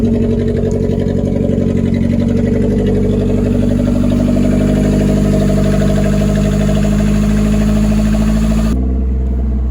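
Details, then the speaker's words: Junkyard old Toyota Corolla, 293,000 miles, wrecked with a busted dry radiator, just started: loud, raspy, uneven idle with a deep drone. Exhaust sounds unmuffled; catalytic converters apparently cut off. "I don't want to run it too long without cooling in the radiator, but it sounds like they definitely already cut the cats off of it."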